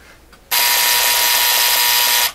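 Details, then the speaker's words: Vintage vacuum tube AM clock radio, make and model unknown, being checked out: a loud, steady, high-pitched buzz that cuts in sharply, holds about two seconds and stops cleanly. The alarm buzzer works normally. "Yeah, certainly sounds like an alarm."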